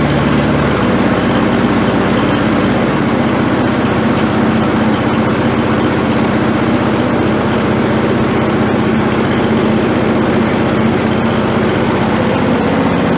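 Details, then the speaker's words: Torx 140A small engine with a hard-start issue, cold start after adjusting the choke linkage so the butterfly closes fully: runs smooth and even at steady speed with no stumbling or hunting; the choke fix worked. "that made all the difference that sound nice"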